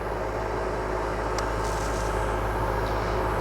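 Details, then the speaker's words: Outdoor AC condenser after service, compressor drawing about 9 amps, removing heat: steady low hum with fan whoosh and constant electrical drone, no rattles or buzzing; condenser operating normally. "it's removing heat everything seems to be working how supposed to"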